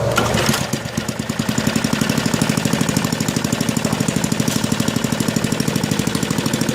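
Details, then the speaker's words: Small lab engine with properly set mechanical governor: runs up quickly to top no-load speed and holds a crisp, even, stable beat with no hunting or surging; governor correctly adjusted. "so as you can see it starts it runs up to top no load speed and it stays there at a steady stable rpm that's what we want in a properly adjusted governor"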